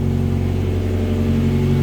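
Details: Kia Timor, injection engine, with loud racing exhaust while revving: engine smooth, no vibration; deep booming exhaust drone with strong low rumble, healthy engine. Normal exhaust note.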